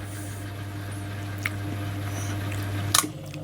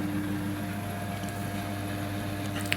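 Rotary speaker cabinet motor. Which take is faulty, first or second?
first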